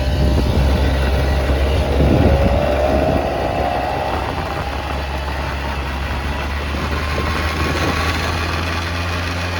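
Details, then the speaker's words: 1989 Yamaha Riva Razz 50cc two-stroke scooter with 2,500 miles, after a tune-up and a premix conversion, started first kick. A steady, buzzy idle with an early rev blip, then it settles evenly with no misses. Slight smoke, which the owner suspects is leftover oil in the oil line. "Smoking a little bit, but I think that's just the leftover oil that's in the oil line."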